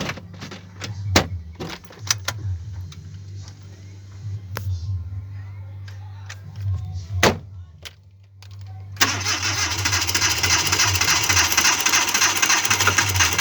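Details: Engine cranking with clicking, no start, then a sudden loud rush of noise; owner suspects overheating, noting a radiator issue, but the cause is not confirmed.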